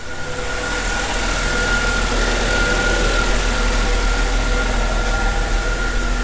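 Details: 2005 Mercedes CLK320 W209 M112 V6 after starter replacement for a no-start, car about to be raised to check the transmission: a smooth, even idle with a steady low drone and faint constant whine, no knocks or misses. Healthy.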